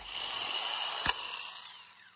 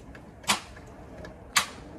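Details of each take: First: Starter bench-tested in a vise, key bypassed with a screwdriver; high smooth whir with a single click as the gear kicks out, then even spin-down. Starter passed the bench test; normal spin. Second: After starter installation, jump-starting from a donor battery: two sharp single clicks about a second apart with no cranking; starter clicking from poor jumper cable connection at the battery.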